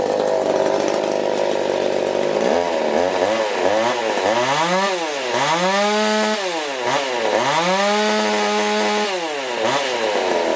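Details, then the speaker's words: Ported Husqvarna 359 chainsaw built from junk and aftermarket parts, muffler opened, timing advanced, uppers raised: two-stroke revs climb and sag repeatedly, slow to rise, no crisp top end; lazy, low power, cause unknown. "But I'll fire it up and you'll be able to tell. She's kind of lazy."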